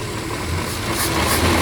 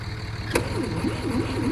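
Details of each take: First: 1968 Kaiser Jeep M725 military ambulance, first run in 15+ years, cold, on an electric fuel pump after carburetor rework; the engine holds a steady, rough-edged idle with a slight rise toward the end. No oil pressure reading and the generator isn't working. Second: 1968 Kaiser Jeep M725 military ambulance, unrun for 15+ years, during fuel-delivery testing; the starter cranks the engine at a steady, fairly brisk rhythm but it never fires. Owner suspects the factory fuel pump does not work.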